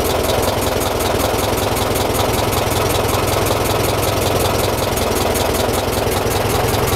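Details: 1926 Ford Model TT ton truck, just started with a little choke and switched from battery to magneto: a steady idle with a crisp, even buzzing click from the coils, louder on the magneto's AC, running healthy.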